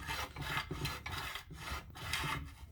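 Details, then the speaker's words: 15 hp Briggs & Stratton mower engine, being pulled for rebuild: rough rasping grind in back-and-forth bursts, a couple per second, with dull scrape underneath; something suspected grinding inside the cylinder wall. "But something's up inside the piston wall, grinding back and forth."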